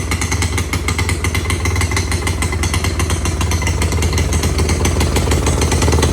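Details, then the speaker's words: 1986 Honda Fourtrax 70 ATV, first start after revival and a stator replacement, carb adjustment out of whack, air cleaner off, being choked and spitting gas: loud, fast, rough buzzing near full throttle, smoking and screaming. High idle; owner hopes refitting the air cleaner will tame it. "It's running and smoking and screaming, idling real high."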